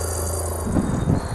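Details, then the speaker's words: 1971 Datsun 240Z petrol straight-six idling roughly with an uneven, stumbling misfire, like running on three cylinders; blown head gasket, with oil-fouled spark plug number four and later hydrolock; car had also been overheating. "so it's blown head gasket and I cranked it up drove around for a bit sound like it was running on three cylinders"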